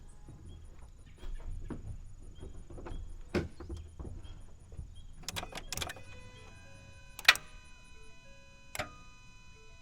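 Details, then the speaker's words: Inoperable auction truck after restoring power to the starter circuit: single sharp clicks with each key turn and no cranking; starter found seized, could not be turned by hand once removed. "Does nothing, but I hear that starter clicking down there. I think the starter's bad."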